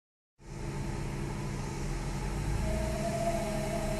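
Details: 2002 Lexus GS300 at an even idle, then a steady mid-pitched whine comes in partway and holds at constant pitch; an annoying whining noise, source unclear.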